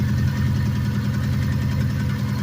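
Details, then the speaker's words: 2005 Subaru WRX STI flat-four (Impreza STI swap), driven hard while low on oil and coolant: deep uneven idle burble with loud rapid clatter on top; engine rattle, damage suspected, cause not confirmed. "you know that [ __ ] is such a loud clatter bro this thing"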